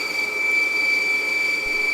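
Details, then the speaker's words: Pond pump that ran last year, first start in spring: steady high-pitched whine with a harsh constant buzz, bearing-like; rotor seized by freezing over winter, freed by hand with pliers. "Well, that pump lamp ran last year. Why isn't it running now? Why is it making so much noise?"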